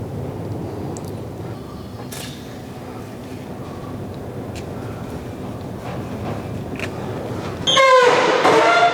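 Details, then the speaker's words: Roll-up garage door with a rusty torsion spring: loud, wavering metallic squeal as the door moves, still present after rust penetrator, before white lithium grease was applied. Owner fears something may snap. "see if we get this thing quieted down cause i'm afraid something's gonna snap in there the way it's making noise right now"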